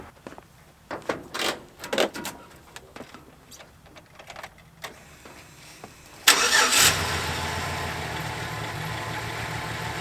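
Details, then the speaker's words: 2007 GMC Sierra work truck bought at auction, about 38°F outside: cranks briefly, catches cleanly and settles into a steady, even idle with no stumble or miss; normal start and idle. "Not bad. Sounds pretty good."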